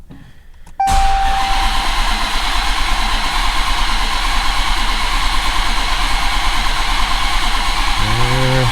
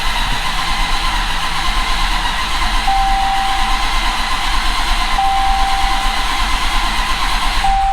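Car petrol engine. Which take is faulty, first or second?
first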